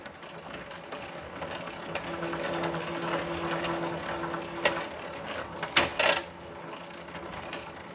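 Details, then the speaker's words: Raleigh Superbe, Sturmey Archer 3-speed hub, after gearbox oil change, on bike stand: freewheel ticks then steady buzzing drone as wheel spins; vibration traced to the gear cable rubbing the tyre. "pop the cable out here and the cable was rubbing on the tire down in there. So I asked what I wanted our vibration was just the cable on here."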